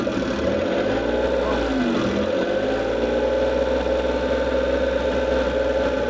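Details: Suzuki F6A three-cylinder that the owner says overheats; run after checking the radiator and finding lots of engine oil: a steady idle with a slightly uneven pulse and no clear knock. Suspected head gasket leak.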